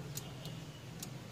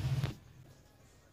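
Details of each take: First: 4D56 diesel, ignition on, fuel shutoff solenoid connector connected and disconnected: four crisp clicks in connect-and-release pairs over a quiet background; solenoid pulling in properly, no click would mean it has failed. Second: 4D56 diesel cranked with the injector fuel lines deliberately loosened to confirm the pump delivers diesel: even starter cranking about four turns per second for over three seconds, never firing; diesel squirts from the lines.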